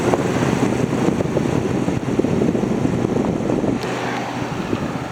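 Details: Haier ESA410J-RGB 10,000 BTU window AC, viewed from the back with a perfectly clean coil: steady even whoosh of airflow over a low hum, no rattles or squeals; running normally, needed minimal maintenance.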